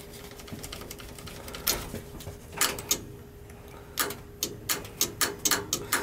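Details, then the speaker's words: Gas boiler with a Honeywell gas valve, calling for heat with the pilot on and 24 volts confirmed at the valve: sharp irregular clicks over a faint hum with no burner firing. Finding: gas valve clicking but not opening. "Hear it clicking? Yeah. Pilot is on, so we know it's a bad gas valve because I checked. I had 24 volts there. Gas valve's not opening."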